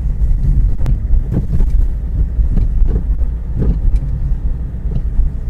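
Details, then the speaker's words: Car driven over rough, uneven roads: low road rumble with irregular short knocks and clatters from the running gear underneath, heard all around; suspension rattle, cause suspected among wishbones, ball joints or links, not confirmed. "n pou elle fait plutôt des claquements quand on est sur des routes avec des reliefs vous savez les routes qui sont pas en très bon état alors là on a un bruit qui fait ça s'entend dans tous les sens"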